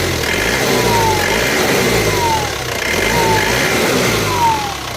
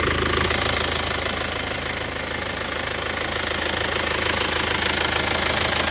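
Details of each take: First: Isuzu Panther diesel after engine block repair at machine shop for loose cylinder liners, valve clearance not yet reset: smooth idle with clean even throttle blips; sounds smooth and normal as expected. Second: Isuzu Panther diesel after engine block repair, valve clearance not yet reset: idle with fast regular light ticking about three per second over the clatter; excessive valve clearance still needing adjustment, otherwise smooth.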